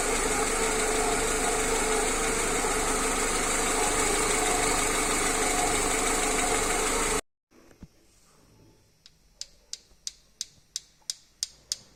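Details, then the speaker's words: Idling engine with sharp, regular rocker-arm clatter of about three ticks a second from oil starvation; the noise disappears once oil is added. "le bruit des craquements des culbuteurs vous allez maintenant voir quand je mets de l'huile et là le sens disparaît"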